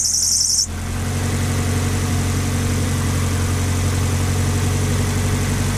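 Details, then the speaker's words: Nissan Silvia PS13, dead battery, sat about 10 weeks on a boat and about a month at home, jump-started with an eBay battery jumper pack: short electronic chirp, then engine catches into a smooth, even idle with no knocks or misses. "so as you can hear it's running now this car has been sat he was on a boat for however many weeks 10 weeks"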